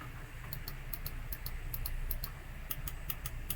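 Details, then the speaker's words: SCUF Reflex controller R1/R2/L1/L2 buttons: crisp, light mouse-type clicks in quick pairs over a quiet room; normal click from a working button, compared with a faulty button that no longer clicks. "on entend bien le clic de souris là aussi et là on entend pas on entend pas le clic par rapport à lui"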